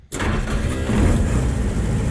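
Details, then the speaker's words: M100 rail speeder at trolley museum, started in neutral with clutch in: sharp rasping starter grind on engagement, then engine catches and runs rough and loud; starter worn, needs replacement. "You need the left foot, and you may hear the starter grind, which needs a new starter."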